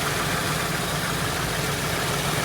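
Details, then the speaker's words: 1973 AMC Hornet after vacuum line repairs, with timing set to 5° and vacuum advance reconnected: steady, even low rumble with no misses; smooth, healthy idle. "cuz we are idling beautifully and smoothly now our timing is dead on"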